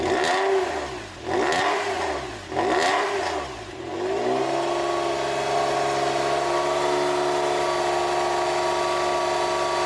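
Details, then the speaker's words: Freshly rebuilt air-cooled Porsche 911 flat-six at first start: throttle blips, then even idle with light fast ticking from brand-new tappets bedding in, expected to quieten within 20–30 minutes as oil fills them; normal. "But, yeah, she's idling lovely. Can you hear that quite low down? So, that's for me that's brand new tappets that are going to be setting and bedding in."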